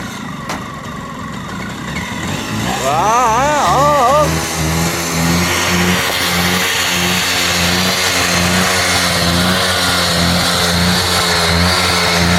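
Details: Bajaj RE two-stroke autorickshaw, cold started after years of storage on an oil-petrol mix: it fires and settles into a steady two-stroke buzz, rises briefly when revved, and keeps running evenly without dying. Normal running.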